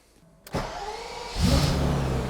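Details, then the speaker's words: 1991 BMW E31 850i, M70B54 V12 cold start after a two-year restoration: the engine catches cleanly and revs rise, with a thin whine following engine speed from the complaining power steering pump. "Oh, it starts really nice, except for that stupid PS pump. Stop whining!"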